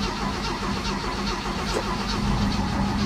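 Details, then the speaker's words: 1967 Chevy C10 with 250 straight six, three-on-the-tree: even starter chug about two and a half turns a second without firing; crank no start from fuel starvation, float bowl empty, choke opened by hand. "I'll put a little gas in the carb too I guess the float Bowl was empty"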